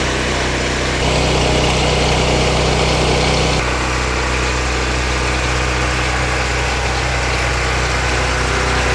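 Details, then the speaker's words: New FIRMAN P03501 3550 gas generator just started on first pull with choke on, no load: small single-cylinder engine steady fast even hum, no misses or knocks; normal cold running. "So turn it on, choke on, that on, and then you just pull it, and we'll see if it actually starts. That was the first pull ever."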